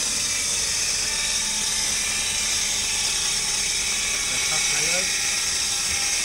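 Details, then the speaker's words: Suzuki DE64 minivan with K6A turbo engine, idling, before disassembly: a loud, steady high-pitched whine over the engine that does not change. The alternator or tensioner bearing is suspected. "So ang problema ani mga sir na daw nagatingog sa iyahang makina no."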